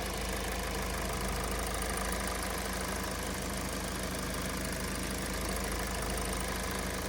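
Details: Hyundai/Kia G4NA engine, 2015 car, 135,000 km: steady even idle, smooth low drone, no knocks or rattles with clutch pressed (gearbox bearing noise stops); normal idle.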